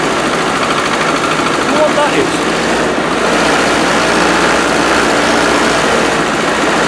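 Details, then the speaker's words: Car unused for four years, cold start after fitting a new coil and adding a little fuel: idles with a loose, irregular clatter; top-end noise suspected from long storage, cause not confirmed. "And uh let's see if it starts. That doesn't sound good, does it?"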